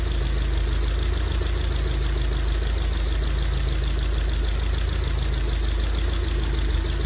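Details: 2002 Rover 75/MG ZT engine that stalled at idle with an unpleasant noise and sat for a while, now idling smoky and clearly misfiring. A quick, light ticking keeping pace with the engine over a deep steady idle points to noisy valve tappets.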